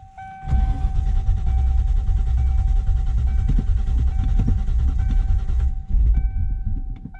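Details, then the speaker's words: 1995 Ford Mustang GT, clutch in, neutral, after replacing ignition switch and lock cylinder: starter cranks steadily about five seconds without firing, same as before; cause proved to be failed ignition coil, fixed by replacing it. "nope that's exactly what it was doing before it would"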